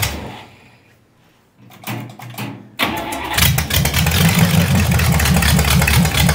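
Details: Vintage nailhead V8 rail dragster, carburetor floats fixed after earlier poor running and a non-working accelerator pump: brief cranking, catches within about three seconds without choke and settles into a loud, lumpy but steady idle; starts and runs fine.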